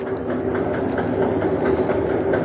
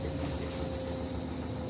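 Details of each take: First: Samsung automatic washing machine during spin: rapid clattering knocks, about four a second, over a steady hum; cleaning won't cure it, worn clutch assembly/gearbox underneath is replaced with a new one. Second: Samsung automatic washing machine after repair of tak-tak spin noise (tub assembly, bearing and absorber addressed), quick wash cycle: soft, even hum with a faint steady tone, no knocking or scraping; drum spins quietly.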